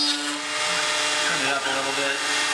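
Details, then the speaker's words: Millright CNC Power Route spindle on a first cut: a high screaming spindle with a rough, wavering cutting tone under load, chattering at the top; spindle chatter from an excessive depth of cut. "it shattered up here at the top a lot you hear that that was pretty helpful it's bad on my tool but I just wanted I to keep going because why not"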